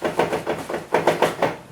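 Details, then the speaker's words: Nissan Patrol GQ Y60 after installing LOKKA Lock Right automatic diff locker, one wheel held while the other is rotated: crisp regular clicks about six per second; locker ratcheting normally. "I'll rotate the passenger side forwards and we should be able to hear a click still"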